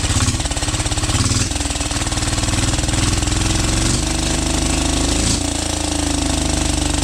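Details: 12 HP air-cooled diesel, test run after overhaul; it had run once and then become hard to turn (owner suspected piston), valve clearance reset and oil added. Heavy, regular chug settling into an even beat without knocks or misses. Normal running.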